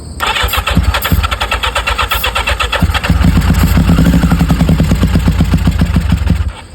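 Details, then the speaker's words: 1985 Yamaha XJ700 motorcycle, first start attempt: starter whirrs, engine catches into an uneven lumpy run for a few seconds despite throttle, then sags and dies; won't stay running. "I'm trying. I'm giving it throttle. It's not doing nothing."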